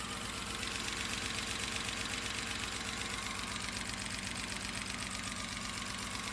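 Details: 2008 BMW 328i N52 after valve cover, gaskets, ignition coils, spark plugs, oil filter housing gasket and junkyard part fixed misfire/crank-no-start: even idle, light regular tick about four per second under music; smooth, no misfire.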